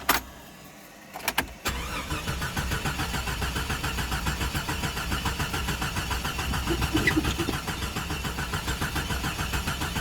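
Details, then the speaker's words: 1996 Jeep Cherokee Sport 4.0, dies after about 13 minutes (about 20 miles) of driving and won't restart until cooled 1–2 hours: hot crank, starter churns about 3.5 pulses a second but never catches. Cause unknown. "Then when you go try to crank it again, [laughter] nothing. It won't crank back."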